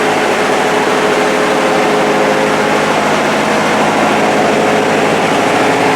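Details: Vintage Victa Mustang two-stroke alloy lawnmower, rebuilt carburetor, started cold after three primes; high, steady two-stroke buzz, no misses or surging, even speed; normal running.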